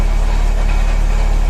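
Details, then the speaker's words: Mercedes CLK idling with a steady, rapid low metallic rattle that is louder when the clutch pedal is pressed and still heard as the engine is switched off. Clutch and flywheel to be replaced. "vous voyez c'est le petit bruit métallique qu'on entend voilà oui là si j'appuie sur l'embrayage le fais moi heureux là ça cette fois on entend vraiment que le bruit"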